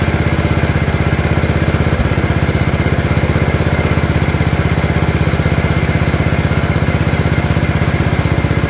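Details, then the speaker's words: Gravely 814 tractor that sat outside for years, just after an oil change. A steady, even single-cylinder thump at low idle with no misses or knocks. Smoke is thought to be spilled lubricant burning off the exhaust, and the battery reads 12.5 V, apparently not charging. Normal running. "I'm glad I finally got it started"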